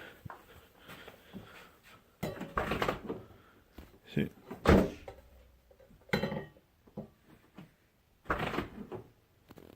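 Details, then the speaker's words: 2006 Scion xA 1.5L: after the fender was pried away from the door, which had rubbed and made a loud creak, the door swings with only soft rubbery thumps and faint seal squeaks; normal door operation. "just like the rubber seals making that noise but it does not make a noise it made a nasty noise before I was like really loud"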